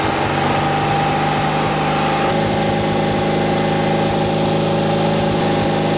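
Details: Porsche 356C air-cooled engine at about 3000 rpm during timing-light check: steady fast drone with no misses, knocks or rattles; runs clean.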